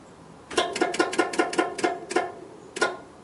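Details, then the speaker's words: 1968 MGC SU fuel pump priming with ignition switched on during a no-start diagnosis: about eight quick sharp ticks then a lone tick as pressure builds; normal pump priming, no ticks would mean a pump fault. "okay so those ticks are building up pressure so if it doesn't take if you don't get any ticks in your SU pump and it's been a while since you've started the car then you have an issue with your pump"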